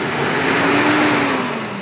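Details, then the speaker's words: Mitsubishi Strada, about 2019, diesel, black exhaust smoke on acceleration: steady airy hiss and droning over engine note when revved, engine labouring; boost leak from torn turbo hose, fixed by replacing hose. "halatang-halata talaga na may umuugong sa loob so kadalasan hangin"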